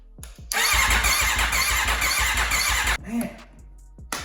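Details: Wrecked 2021 Aprilia RSV4 being rebuilt, code P2257 stored: the starter cranks with steady compression pulses but it never fires; the fuel pump works, and the owner suspects he disturbed the coil packs or spark plugs.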